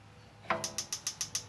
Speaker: you can hear it clicking so it's igniting so that was the whole problem